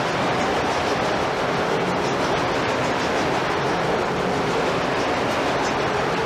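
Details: Historic gold-mill ball mill running: steady even roar of about 4000 pounds of 2–3 inch steel balls tumbling inside the turning drum, with no knocks or surges. Finding: normal ball mill grinding.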